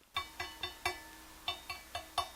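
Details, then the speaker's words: Budget Angels Horn belt-drive turntable, under $200: eight light taps on the platter, felt slip mat on, each leaving a bright metallic ring hanging between them; an undamped platter that resonates. "this definitely got a ring to it it rings for like a while"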